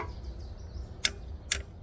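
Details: Junkyard 1972 Ford Ranchero 302 engine, not running, rusty from moisture, valves checked by tapping with a hammer. Three crisp single taps about half a second apart, each ending cleanly: this valve spring returns properly, unlike the stuck ones.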